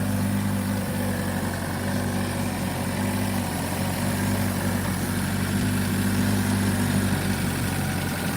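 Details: Chevy/Buick 1.4L petrol engine just started after aluminum thermostat and water outlet housing upgrade, coolant refilled and sensors reconnected: steady even idle with low hum, no knocks, ticks or squeals; normal idle.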